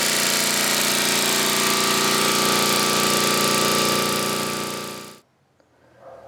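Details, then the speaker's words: 1980 Homelite 5000 W generator with cast-iron Briggs engine and changed exhaust, running a 220 V 3 hp air compressor (about 3,400 W): a loud, steady drone with no hunting or surging, dying away at shutoff; it runs healthy under load. "seem to take a 30 400 watt load pretty good"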